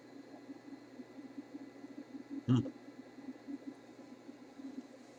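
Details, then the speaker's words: RCA Victor 94BT1 radio at second power-up after all tubes tested good, tuned near top of band with test signal: steady low hiss, mains hum and two sharp clicks, no tone comes through; set not receiving signal. "Hey, it's a no-show. Didn't hear a thing there."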